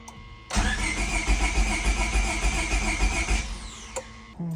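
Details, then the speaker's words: EG Honda Civic with a P28 ECU, new distributor and charged battery: the starter churns steadily about 3.5 beats a second for three seconds and the engine never catches, with a fuel smell; a crank-no-start with the cause still unknown. "We was hearing clicking before, but that seems to be the battery. The battery was dead. Um, yeah. I don't really know what's the cause."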